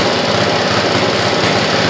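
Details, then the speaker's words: Rototiller small engine that hasn't run in a while, after reinstalling the carburetor cover and governor rod; the spark plug boot still needs replacing. Loud, buzzy, uneven rattle at full speed. Owner suspects bad gas and plans to flush the carb and tank. "i think she still got a lot of bad gas in her"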